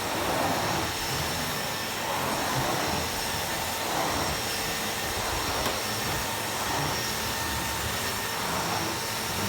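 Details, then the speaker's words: Miele Revolution 700 vacuum on carpet at the 600 power setting: steady, smooth motor roar with airflow rush and rhythmic swells from the strokes; a slight whine is thought to be just bearings; normal vacuuming. "let's give it a go on the carpet i've only gotten 600 because otherwise it sticks to the carpet and it works really well"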